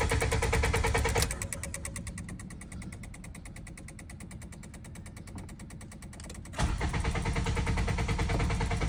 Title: Honda Accord 2008-12 Cranks But Does Not Want to Start, Even with Starting Fluid HELP* Ticking Relay